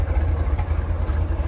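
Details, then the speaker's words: 1970 Chevrolet Corvette L46 with 350ci V8 and four-speed manual, idling after a cold start with no smoke: a smooth, even low rumble with no pinging or lifter noise, a quiet, healthy idle. "car runs really good and it's quiet as you can hear you don't hear any uh any engine noise no pinging no lifters w battling"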